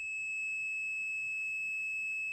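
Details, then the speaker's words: Solar water heater control relay (voltage-sensing, 12 V setting, reconnects about 12.8–12.9 V) checked with a multimeter continuity test across the contacts; constant high-pitched beep without break, showing the relay contacts are closed. "So if you'll listen, hopefully it'll make some noise for you, loud enough. I've got a continuity test going from here to here."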